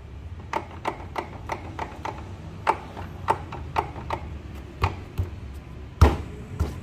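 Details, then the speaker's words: Honda Vario 150 scooter, rear wheel spun by hand: sharp clicks about three a second with heavier clunks (ceklok-ceklok), worn final-drive bearing; felt strongly over rough roads and bumps. "E ini akan terasa banget ketika kita melewati jalan-jalan rusak gitu ya atau gajulgan gitu nah ini baru diputar kayak gini aja bunyi ceklok-ceklok gitu ya"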